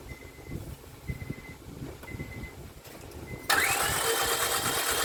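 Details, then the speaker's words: 2005 Honda Civic 1.7 D17A1 that ran 10 seconds then stalled after oil pan and valve cover gasket jobs: starter spins fast and even with no compression beats; no compression, suspected timing belt failure, valves hit pistons. "i can already hear the engine that there's no compression in it so i suspect the timing belt is not there"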